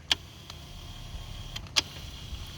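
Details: 2006-2013 base police Impala power seat motor: faint, steady high whine between a few sharp clicks; driving normally.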